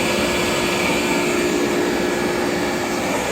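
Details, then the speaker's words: KICE waterfall aspirator, rebuilt, single-phase 110 V, butterfly gate open: steady even rush of air through the ports drawn by the fans, faint fan hum; normal operation. "you can hear that hissing it's the sound of air coming right through these ports it's being backed away by these fans"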